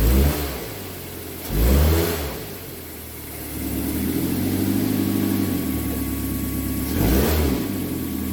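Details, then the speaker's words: 2006 Mazda 3 2.0-litre road-tested after engine and transmission mount replacement for rattling/popping in drive and reverse: engine pulls cleanly through several rev rises and settles smoothly, no clunk or rattle; normal driving, rattle and vibration gone. "I'm just gonna go for a road test, confirm that the rattling and vibration and all that stuff has gone away."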